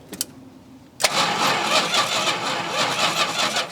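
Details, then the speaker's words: 1971 Plymouth Road Runner, 383 with 727 transmission, off the road since 1989: the starter cranks steadily but it never fires; there is no spark at the number-one plug though the coil gets power, and the starter seems worn. "we get a plug wire off for number one let's ground you no no spark I don't know I mean it's getting power to the coil"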